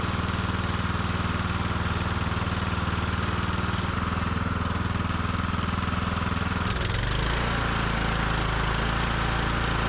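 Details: Small single-cylinder carbureted engine on the Estate Car, after a gasoline hydro-lock and oil change, run briefly with the cowling off: steady even thumping with one brief pitch change; runs smoothly and sounds healthy; normal running.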